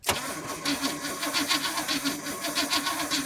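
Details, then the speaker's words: Big-block 454 square-body C30 dually, battery run down by headlights left on: the starter turns the engine over at a steady even beat and it never fires. No spark, though the distributor gets 12.02 V. "Um, no. I told you we was going to have ignition trouble. Sure did."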